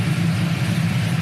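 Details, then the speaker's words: GM NBS Silverado/Sierra (99–06) after head gasket replacement and a BTR Stage II truck cam with LS7 lifters, headers and a single-in single-out Flowmaster, no check engine light: deep, choppy rhythmic lope at idle, normal for the cam. "i don't know if you guys can hear it but we lopping we are loping [Music] hear that crunchiness oh man that's only single in single out flowmaster effect imagine if i ran through duels but this thing sounds killer"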